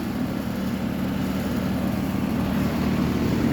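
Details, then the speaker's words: Air conditioner running after repair: a loss of power to the fan motor had stalled the compressor and blown the fuse, so the capacitor was fixed and correct-size fuses fitted; a steady, even hum with a low compressor drone and no knocking or cycling, running normally. "So the tech had to come out again and put new fuses in there. But it's running fine now."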